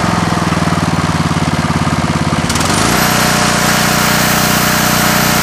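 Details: Coleman Vertex 7850 W vertical generator, 15 hp Gentech Pro overhead-valve Briggs & Stratton, electric start on a new battery: about 2.5 s of rhythmic cranking, then it catches and settles into a smooth, even run; normal start and idle.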